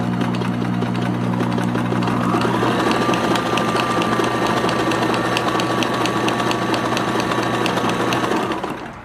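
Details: Kenmore 1813 sewing machine (1974/75), basement find, cleaned, oiled, rust removed, correct bobbin fitted, sewing decorative stitches: steady quick stitching about four a second over even motor hum, no knocks or binding; runs smoothly, ready to go.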